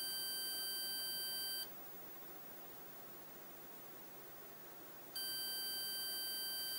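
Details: 1981 Osborne 1 computer failing to start: steady high beep about 1.7 seconds, then roughly 3.5 seconds of hiss, repeating; owner suspects a bad ROM, replacing the Z80 CPU didn't help.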